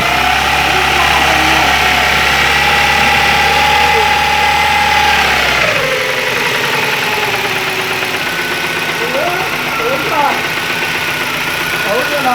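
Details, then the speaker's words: 2001 Ford Ikon after engine work, timing chain already replaced without cure: whining noise rising and falling with revs, slight vibration underneath; cause unknown. "This noise is rising as I press the rev. And now it's normal, but it's not the normal sound that it makes. As I rev the car, it goes up."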